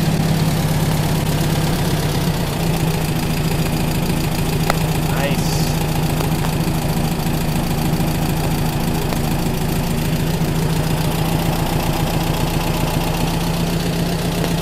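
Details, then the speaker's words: Freshly rebuilt VW Type 1 40hp flat-four returning to idle. Smooth, steady, even low thrum with no tapping or knocking, and it is making hardly any heat. Normal idle. "yeah it sounds good man yeah it does sounds happy now it's coming back to idle real nice idle and smooth yeah really good yeah"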